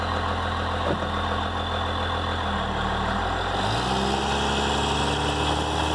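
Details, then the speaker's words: Dodge Ram 2500/3500 Cummins diesel after removal of the turbo silencer ring: steady, even diesel clatter at idle with only a faint turbo whistle. The turbo is now quiet. "Windows are up, and we'll do a couple of quick little pulls so you can hear, or not hear, what the turbo sounds like, because it is really quiet right now."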